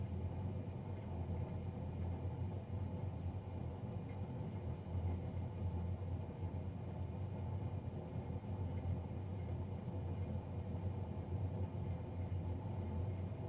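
Steady, loud low droning roar with a fluttering hum, even throughout; the combustion fan is running noisier than it should.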